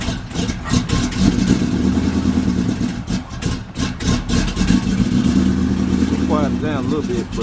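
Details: Oldsmobile Cutlass V8 started cold on a 30-something-degree day, before warm-up: lumpy idle with a loud raspy chuff at each firing pulse from the rear; middle header gasket already replaced, rear exhaust manifold gasket still leaking, less than before.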